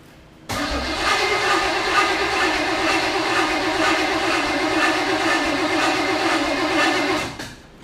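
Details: Freshly rebuilt Chevy 350 (5.7 SBC) in a 1980 2nd-gen Camaro, first start: after backfiring, the distributor was turned 180 degrees. The starter cranks at a steady beat about seven seconds but never fires.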